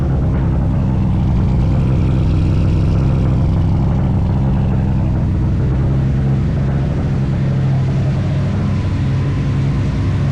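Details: Nissan Sentra turbo build, startup after a no-spark fault was fixed and new V-band exhaust welded: deep, even exhaust rumble holding steady with no misses, knocks or rattles; runs cleanly.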